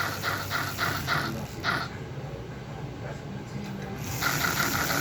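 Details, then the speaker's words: American Flyer locomotive fan motor in a DIY build: light rapid ticking that cuts out for about two seconds, then returns. The motor stalls after the heater was connected to the same rectifier; owner unsure of the cause. "motor stops a lot because this same rectifier that's going to the motor is now going to the heater"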